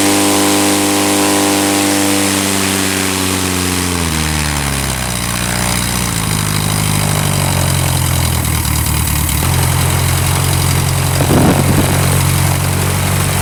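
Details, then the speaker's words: Revmaster air-cooled VW flat-four in a Sonex aircraft, idling to build heat after a power check, with CHT still rising and oil pressure present: it catches and settles to a smooth, even idle with no knocks or misses. "Guys, well, I'm just going to let it run for a bit more, get some more heat built up."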